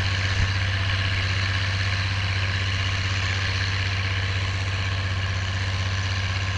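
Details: Oliver 1550 diesel tractor pulling a John Deere BW disk after whatever was in the fuel system cleared out; a deep, steady drone holding an even beat with no misses, knocks or hunting. Normal running under load.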